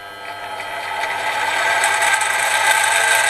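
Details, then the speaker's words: Clarke CMD300 (Sieg X2 type) mini mill in low gearbox range, run forward then reverse: loud steady mechanical whir with rough gear chatter rising as speed increases; the gearbox is very noisy. "you hear it whirring and it speeds up I hope you can hear from the sound it sounds really quite noisy I find that very noisy"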